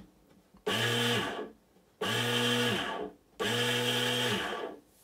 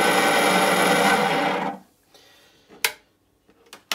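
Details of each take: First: Bait boat motor after main bearing replacement, mounted in the boat without a battery, so sound echoes: three short runs spinning up to a smooth even whir and winding down cleanly, much quieter. Normal motor run. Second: Bait boat main drive motor with a failed, worn-out main bearing: harsh, gritty metallic whirr for under two seconds, then stops with a few knocks; this noise is amplified across the lake, so the bearing needs replacing.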